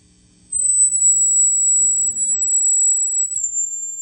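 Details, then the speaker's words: Marshall JCM800 Zakk Wylde series tube amp with old hot mod, Chinese tubes and new JJ 12AX7 in V1; piercing steady squeal from microphonics and oscillation with gain above 2. "However, we were getting some squealing. Listen to that. Some microphonics here, some oscillations."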